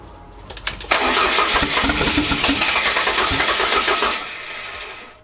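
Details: Fiat Coupe 16V Turbo after restoration and engine reinstall, with swapped fuel-rail inlet and outlet lines corrected: a short crank, then it catches and settles into a smooth, even run with no misses or knocks; clean start.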